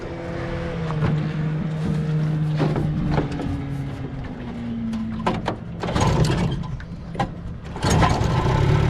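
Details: 1965 Johnson FD-19 18HP outboard on its first run after rebuild: head from a '69 Evinrude 25hp giving very high compression, serviced points, new plugs, carb kit, new impeller, converted to short shaft. Steady two-stroke buzz easing down and back up smoothly; running healthy.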